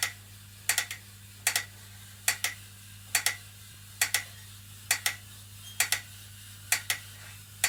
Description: After 1 workout the new BTM spin bike makes clicking noise when pedals turn